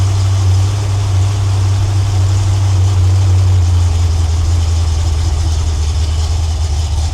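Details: Freshly rebuilt Ford 302 V8 (roller block bored .020 over, E-303 roller cam, Edelbrock Performer heads, Holley 600 carb) on its first break-in run: loud, steady low idle, even beat, no knocks or ticks. Good oil pressure, running a little rich, normal.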